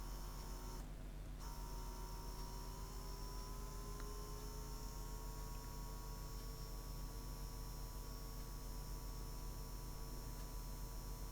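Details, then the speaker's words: Eufy Robovac 11 roller brush motor (believed 12 V) run on a bench power supply at about 10 V after freeing the stuck brush: a small motor hum rising briefly, then a steady pitch as it spins freely, drawing 0.6 A. "It's moving freely. I still hear it clicking. It's trying to move. Right, there we go, it's spinning."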